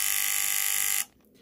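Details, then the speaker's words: Remote-control mains plug socket: harsh, steady electric buzz for about a second instead of a single click as the relay chatters because there is not enough voltage to hold its contacts closed; suspected to have blown a Zener diode. "obviously when you turn it on it makes that buzzing sound now that is relay chattering so there's not enough well to keep the relay contacts closed"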